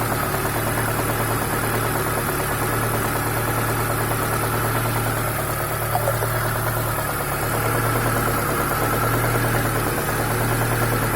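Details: ZAZ Chance 1.3 engine at steady idle with a fast, uneven ticking knock over the engine note, about three per second; knock of unknown origin.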